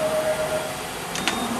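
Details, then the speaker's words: Okuma DCC-15 CNC lathe mill drill tap center, used on aluminum, axis moves at 50% rapid: smooth steady servo tone that drops lower as axis changes, no grinding; machine in very nice shape. "it's in very, very nice shape, like you can hear right now."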